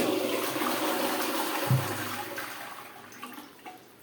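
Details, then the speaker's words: Pneumatic cistern with dual flush buttons, after repairing the fill diaphragm that was pressed beyond its limit: single strong rush of water draining smoothly and quieting evenly; half flush now working normally. "यह half flush perfectly work कर रहा है"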